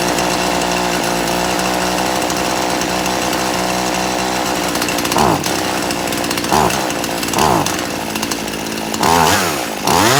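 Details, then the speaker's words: Poulan Pro chainsaw after richening the low-speed screw, at full throttle while the high-speed screw is adjusted: screaming, pitch sags and dips in short bogs before steadying as bogging stops. "I'm going to crank this up and you going to see me turning this and I'm going to be giving it gas until it stops bogging"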